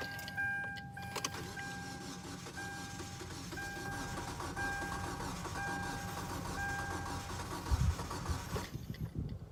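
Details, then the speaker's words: Car cranks but won't start: steady starter churning with faint uneven catches never picking up; suspected fuel problem, fuel pump heard in tank, carb cleaner test planned. "might be a fuel problem it's turning over it's trying to catch a little bit"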